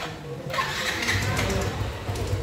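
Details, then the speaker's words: Yamaha Fino 125 scooter after repair of hard starting, previously needing forceful kick-starting, blamed on often-late oil changes: brief starter whirr, catches at once on first electric start and settles into even idle; now starts normally. "nah ini motor sudah nyala ya sudah normal engine speed sudah normal nyala pertama melakukan elektrik starter juga sudah normal yang tadinya Susah harus ada tekanan dari engkol"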